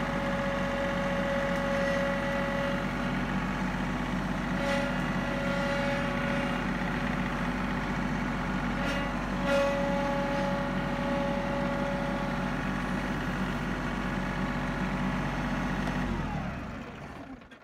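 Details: John Deere 3032E compact diesel tractor idling steadily with a mid-pitched whine that fades in and out, then the engine shuts off.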